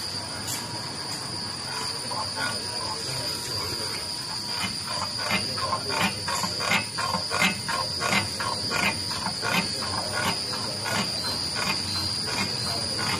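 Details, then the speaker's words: Saramoly QS-380 chassis check: sharp high squeaks about once a second as the body is rocked; rear suspension rubber bushings worn out, rear swing arm also damaged, front suspension fine. "那这里后悬挂这里，后悬挂胶套坏了。"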